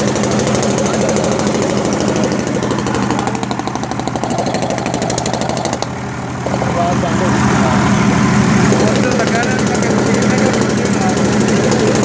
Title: Ford Cargo Engine Start After Rebuild #diesel